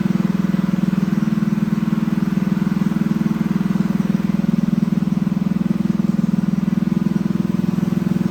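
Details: Freshly built Honda GX200 clone go-kart engine clamped to a table, choke on: steady single-cylinder thump at fast idle, a bit hollow and strained; lean running, needs jetting, jet size to be increased.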